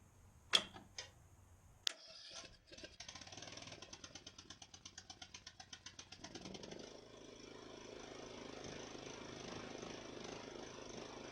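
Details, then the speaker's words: Ariens mower's first start after rebuilding its Nikki carburetor: the starter cranks in slow uneven pulses, then the engine catches and settles into a mostly steady idle. Slight surging evens out, and it revs up nicely. "Wow that's really great actually there's a little bit of surging here and there but it evens out and stop surging but it idles and you can kick it up nicely"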